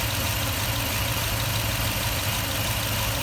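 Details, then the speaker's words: 2004 Toyota Tundra after fan bearing failure and timing belt change; low uneven idle with irregular lope instead of steady beat, shaking at low rpm, cause not found; owner wonders whether the belt skipped timing. "so it's just a little shakily wakely why was it shaking like that low rpms"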